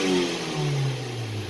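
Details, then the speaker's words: Car (about 100,000 km) engine revved hard after spark plug repair and adaptive value reset: smooth even note with no misfire, earlier cylinder 3 misfire and stalling while driving now gone. "이렇게 심하게 하는 데도 미스 바이어가 한번 영광이 되지 않았어요"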